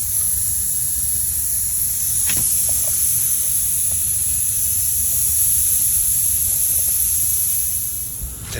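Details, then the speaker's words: Slow-leaking car tire after removing a large screw: loud, steady high hiss of air escaping, a fairly large puncture hole, before plugging with a tire repair kit. "I was able to remove it as you can hear it it's fairly loud so it's a fairly large hole"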